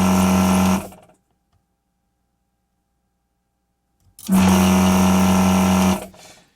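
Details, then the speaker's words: HO470 desoldering pump (induction motor, custom variable speed drive, 802 gun) during capacitor desoldering: two bursts of low steady hum holding even pitch without bogging down; normal pump running. "It's a HO470 pump with an 802 gun. Now, the HO470 has an induction motor in it, and it's actually a really slow pump, but I designed a variable speed drive for it, and that's why it moves so fast."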